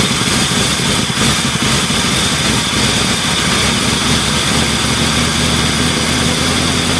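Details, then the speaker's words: 1978 Ford LTD, very cold start at about -10°F after two days of trying, jump-started from a Buick: engine catches and holds a loud, somewhat uneven idle with plenty of hiss, struggling cold start warming up. "there we go finally started definitely a cold start I'm glad I finally got it going now Gore is going to be so pissed oh well suppose we can take the jumper cables off and uh let this thing warm up a bit"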